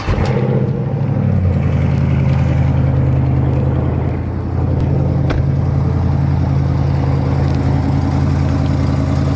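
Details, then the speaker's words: Cold-start V8 idle on a lowered car: steady rumble with a faint quick tick that disappears once the engine warms up. Owner is fairly sure it is an exhaust leak rather than Hemi tick, nothing to worry about. "so right there you guys could tell it was pretty easy to see that you know you could hear the tick pretty clearly and then eventually doesn't take too long once it gets warm enough that it goes away so that right there is an exhaust leak nothing to worry about"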